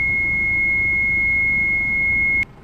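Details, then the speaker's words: 2004 Mitsubishi Shogun (3.0 or 3.2 diesel) with nearly no brakes, engine running: one unbroken high-pitched beep over two seconds, the continuous warning with ABS and brake lights on from a hydraulic brake booster fault. "but my problem here I'm so sorry about about this beeping noise"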